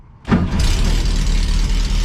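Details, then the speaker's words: 1969 VW Beetle Baja Bug, air-cooled carbureted flat-four, cold start after sitting a few weeks, pedal pumped a couple of times. Brief crank, then it catches at once into a steady, even low burble at idle with no misses. Normal cold start. "I do not believe it unbelievable this thing is TurnKey reliable all right we'll go ahead and let it fire up and we'll go ahead and pull it in the shop"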